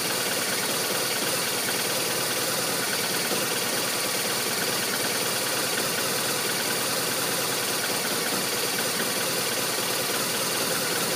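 A steady idle with an uneven, loping beat under a hissy background; the engine isn't settling, so it's idling rough.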